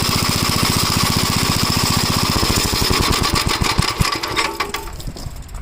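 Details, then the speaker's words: 1956 Gravely Model L single-cylinder engine runs rough, fast beat stumbling unevenly with sporadic pops as it dies down; it smoked, owner suspects spark plug fouling with oil (top-end problem), carburetor and points checked fine. "But you get you can hear that it's popping like the uh spark plug is getting fouled with oil."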